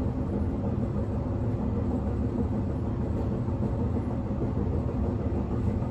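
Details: Inside a moving 1991 S-Bahn Berlin BR485 railcar 485 112-7 on the S8, Schönfließ–Hohen Neuendorf: heavy low rumble and rattling through the carriage, rougher than normal, from a severe wheel flat pounding the rail.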